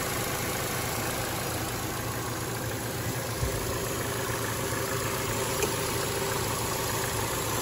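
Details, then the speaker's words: 2012 Chevy Cruze 1.8L non-turbo running rough, P0171, fuel trims very lean: warm idle with a steady airy hiss over an even, slightly rough engine note; major vacuum leak from a ruptured PCV diaphragm in the valve cover, which needs replacing. "Oh yeah, I hear that. So what I usually do on these, just to make sure I'm in the right direction, which we know we have a major vacuum leak there, right?"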